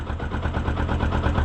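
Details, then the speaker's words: 2012 Yamaha YZF R125 with fault code 46, running on a jump pack: small single thumping unevenly at idle, tone changes when the jump pack is removed; charging system not holding voltage. "You can hear the change in the engine tone, when I take the jump pack off."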